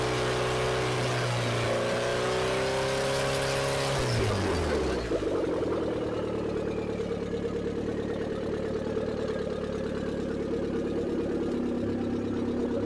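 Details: Newly built carbureted turbocharged Mazda B6D engine, first run: revs climb then drop around four seconds to a steady even idle with a light regular tick; runs cleanly.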